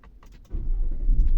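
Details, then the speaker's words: 2017 Nissan Patrol petrol with intermittent no-crank (code C1116-00, stop lamp switch), after brake switch checked in live data, started with brake pressed: quick catch, steady low rumble; normal start and idle. "Start की है और गाड़ी अल्हम्दुलिल्लाह start है"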